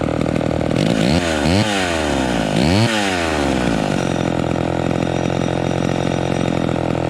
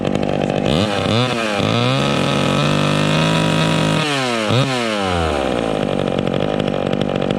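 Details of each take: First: Vintage two-stroke chainsaw, warmed up. It blips cleanly up and down, then settles into a steady idle without bogging or loading up; low end normal. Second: Vintage chainsaw during carburetor high-speed adjustment, revving with no load: repeated blips up to a high scream, blubbering rich (four-stroking) at top revs, expected to clean up in the cut; four-stroking at no-load high speed.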